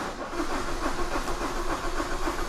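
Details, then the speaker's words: 2016 Holden Colorado: even starter cranking, about five compression pulses a second, never catches; crank no start. A circuit fault code sets only when cranking, and the sensor has 5 V and earth with no wiring fault found so far. "car still at no start let me read that false"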